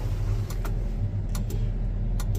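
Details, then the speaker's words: Sharp paired relay clicks about every 0.85 seconds over a Versatile 2375 tractor's steady diesel idle with the turn signals on. The flasher relay clicks but the signal lamps are not flashing. "you can hear the relay clicking but that's not flashing that's not flashing"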